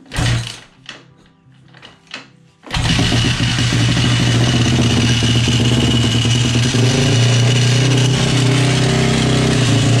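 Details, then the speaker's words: 2010 Honda CRF 450 motorcycle, previous owner ran it without oil: after stuttering starts, loud harsh fast rhythmic clatter at idle, origin unknown; crankshaft, bearing or timing chain suspected. "Aïe aïe aïe. Je sais pas d'où il vient le bruit, mais pète les oreilles."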